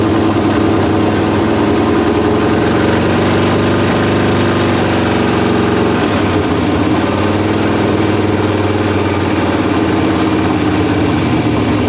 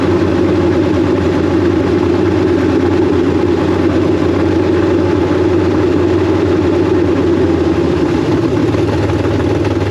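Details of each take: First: K5 Blazer V8 just converted to Holley Terminator X EFI with throttle not yet adjusted: races at a high, slightly uneven idle about twelve seconds, then sags and dies; owner suspected idle air or vacuum leak; misfire from clogged injectors. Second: K5 Blazer V8 with big cam, Holley Terminator X EFI, ex-E85 injectors, new power steering pump and belt: steady, loud idle with firm even rumble, no dead-cylinder miss, idle still self-learning; running on all eight cylinders.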